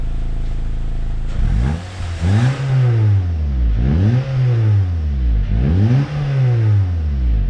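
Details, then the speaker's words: Honda Accord Euro CU2 K-series after fitting PLM downpipe, high-flow cat and Vibrant resonator, stock rear exhaust, to fix a buzz: starts, three clean smooth revs, deep even note, buzz gone at wide open throttle; normal start and rev. "The buzz went away immediately as soon as you went wide open throttle, which is exactly what you want."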